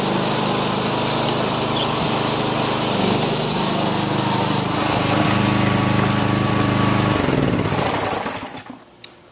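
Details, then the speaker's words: Weed Eater One riding mower with Briggs & Stratton 875 series professional engine, recently fitted with a new differential and a freshly charged battery: a steady, even drone at constant speed for about eight seconds with no knocks or misses, then it winds down; healthy engine. "The mower runs great. I'm just going to start it up and show you."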